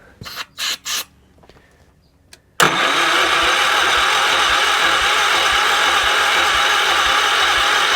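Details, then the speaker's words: 1978 Wheel Horse C-121 garden tractor after starting fluid: steady starter drone with even compression beats about four a second, no firing pops; cranks but never catches. "Yeah, it ain't looking good. I'm just going to burn out the starter at this point, so all right, back to the drawing board."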